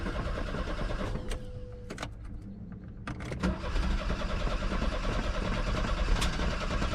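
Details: VW Vanagon that won't start, cranked after fuel filter replacement following a road trip run to empty tank: starter churns about three turns a second, slightly uneven, never catches; cranks but won't fire, filter not the cause.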